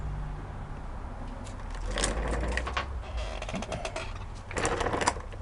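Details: 1939 Lauson RSM 1hp marine inboard, air-cooled single-cylinder (5.9 cu in, rated 2300 rpm), audio-tuned straight pipe: quick, fairly even popping, steady with no misses; runs good.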